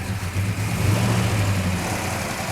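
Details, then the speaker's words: Mopar V8 Hellbird Road Runner build, first start without air cleaner, mixture being adjusted: lumpy idle with light even ticking rattle from mechanical solid-lifter rockers; normal valvetrain noise. "These a have ride. mechanical rockers in them. That's what all that rattling is."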